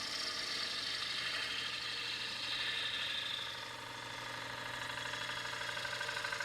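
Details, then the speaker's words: Woodturning a four-legged bowl on the lathe: a steady hissing cut over a low hum with a faint irregular thump each turn, from the gouge's bevel heel rubbing the bowl too much; fixed by switching to a smaller gouge. "so that's the sound you're hearing is the bevels actually making too much contact"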